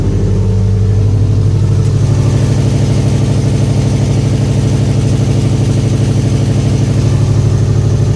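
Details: 2011 Subaru STI at cold idle: sharp, even puffing tick in time with exhaust pulses from a loose downpipe-to-catback gasket, louder when warm; fixed with a new gasket and two replaced broken bolts.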